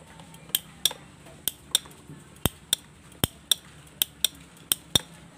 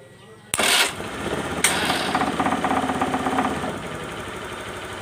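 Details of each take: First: Honda Beat FI scooter with conventional starter motor: sharp, uneven clicking about twice a second near the starter relay with no cranking; starter motor doesn't turn at all, worn or damaged internally. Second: Honda Beat FI scooter with conventional starter motor, after a starter clicking problem: sharp snap, second crack, then it catches and runs with quick even firing pulses, starting normally.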